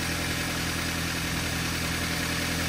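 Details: Toyota Avanza at idle with a light, fast ticking over a busy engine note; valve clearances measured at 0.40–0.45 mm against a 0.30 standard, loose exhaust valve chatter; piston slap also suspected.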